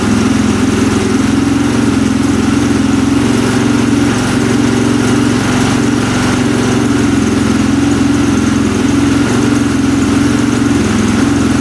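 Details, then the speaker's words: 2003 KTM SXC 625 Supermoto single-cylinder, started on choke after a carburetor clean fixed its poor running. Strong even idle with a steady beat and firm exhaust note. Normal idle. "that sounds a lot better. Let's see what happens when we hit the throttle."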